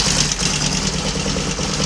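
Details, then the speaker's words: Royal Enfield Constellation twin the morning after first start, running on both cylinders from one carburetor (owner plans return to two): brisk even pulse, no missing or popping, running nicely for the first time; throttle cable slightly snagged; normal idle. "Anyway, enough of my waffle. It's running nicely for the first time since it's been here. That's got to be a good thing."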